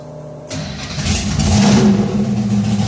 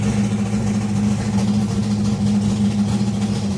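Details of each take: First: V8 race car with painless ignition box and electrically controlled Accusump oil priming, stalled cold when dropped into gear: starter spins briefly, catches at once, rough lumpy cold idle with throaty low rumble; fires right back up. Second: Race-cammed V8 with Accusump oil primer and painless ignition box, cold, just dropped in gear: uneven loping idle with irregular chop about three beats a second; rough lopey cold idle.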